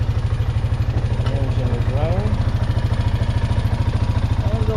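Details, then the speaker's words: 2009 Honda Rubicon TRX500 (Foreman) ATV with battery draining overnight, started in neutral on freshly charged old battery: steady, even low single-cylinder idle thump, no knocks or misses; engine healthy, battery later found bulged and leaking. "batteries fully charged let's start the engine and the key to the on position and neutral and crank it there we go"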